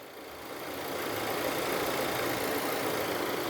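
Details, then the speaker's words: Audi Q3 after an engine rebuild following hydrolock from driving through deep water, idling with the AC off: an even, smooth, soft rumble with no knocks or ticks. No check lights; a healthy normal idle. "As you can see बिल्कुल silent है। सब okay है।"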